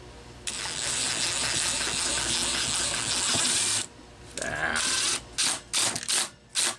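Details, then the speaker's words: Homelite XL-12 chainsaw, cranked with a spark tester on the plug wire: several quick starter pulls spin it over with no firing at all. There is no spark from a wrong, miswired ignition coil, to be replaced with a Homelite coil and the wiring repaired. "all right there ain't nothing happening there so this thing's gonna come apart uh that coil is going to get replaced with a home like coil that has the proper connections"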